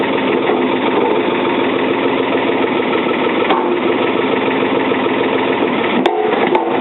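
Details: 1977 Ford 555 backhoe diesel, first start in over two years, held at low throttle while it warms: steady, even low idle with an unbroken rumble and no knocks or misses; running smoothly.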